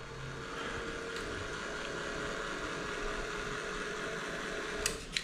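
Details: Old powerchair being stripped for parts, tilt/seat actuator driven from a bench power supply to lower the seat: even mid-pitched motor whine holding steady several seconds, couple of clicks near end; normal actuator operation.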